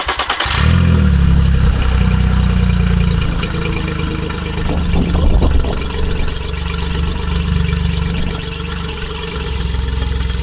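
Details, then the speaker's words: Outboard on a 16 ft skiff just after its yearly service, run hot to check oil: it catches quickly, revs briefly, then settles into a steady, even idle with no misses or knocks; normal running. "Sounds good. Looks good. Seems like we had a successful service."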